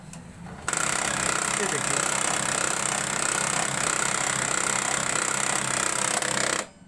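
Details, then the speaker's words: HP printer at power-on: one gear turns but the rear gear will not, giving a harsh, constant grinding whir with a rough chatter about three times a second until it stops. Gears are binding; something is suspected stuck inside, not yet confirmed. "तो दोस्तों इसका problem यह सकता है कि अंदर में कुछ ना कुछ फंसा हुआ है जिसकी वजह से यह प्रॉब्लम है"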